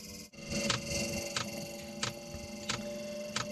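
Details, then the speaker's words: Off-grid diesel cabin heater after cleaning, new glow plugs and a new fuel pump: at startup a steady mid-pitched hum with a sharp tick about every two-thirds of a second. The hum is unfamiliar; owner wonders whether leads were connected the wrong way round. "I wonder if I got them connected the wrong way around. I don't remember it making that sound before."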